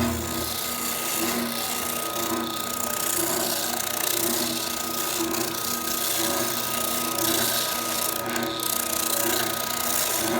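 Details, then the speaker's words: Delta SA350K spindle sander at its first run after the stripped oscillation gear was replaced: steady motor hum with a high whine and a smooth, even rise and fall about once a second. The oscillation now works normally. "Alright, so it seems to be working pretty well."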